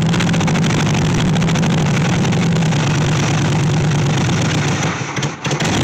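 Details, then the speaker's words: 1964 Chevy Impala SS Convertible V8, long-sitting project: lumpy idle with an uneven, stumbling beat and wavering speed; rough running because ignition timing is still all over the place. "and it's still the timing's all over the place and it's running kind of rough but we'll uh we'll keep tinkering with it"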